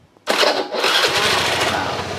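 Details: Honda Beat carburetor scooter, hot after a long ride, owner reports hard starting on cold mornings, non-original CDI suspected: catches at once, settles into brisk busy idle; cold-start trouble not present warm.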